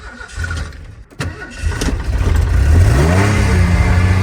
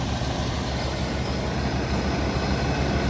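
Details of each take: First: 1989 Ford F-150 XLT Lariat EFI barn find: cranks, catches and revs briefly, then sags, sputters and dies; owner suspects a weak fuel pump starving fuel. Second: 1989 Ford F-150 XLT Lariat EFI after new gas tank, with about four gallons in it: low, steady rumble with an even beat and no misses or knocks, running properly where it didn't before.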